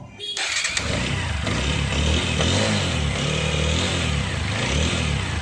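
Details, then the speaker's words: Water-damaged TVS Apache RTR 160 4V, tank refitted, with the idle air control (ISC) valve left sitting unclamped. It starts and is revved, then the idle rises and sags and never settles to a slow tick-over, so an adjustment is needed. "விடுங்க இப்ப வந்து நமக்கு வந்து என்ன ஆகுது அப்படின்னு சொன்னா வந்து ஸ்லோ வந்து நிக்கல"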